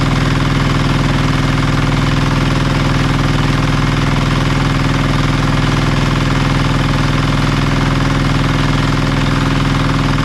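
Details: Marketplace diesel generator of unknown condition, tested after reassembly: loud, steady low diesel clatter at even idle, no misses or knocks; engine runs smoothly but generator still makes no power.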